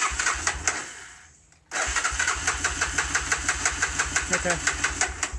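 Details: Honda 300 that suddenly won't start, though it sometimes starts eventually: starter cranks steadily about three turns a second, pauses, second attempt, engine never catches; cranks but won't start.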